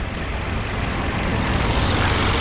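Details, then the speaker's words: Hyundai LF Sonata with cylinder 4 misfire code and check engine light, rough running at morning cold start: uneven idle with irregular stumble and shake; ignition waveform showed abnormal spark duration, pinning it on the cylinder 4 plug coil. "이때 엔진이 부들부들 부들 하면서 부조했던가 봅니다"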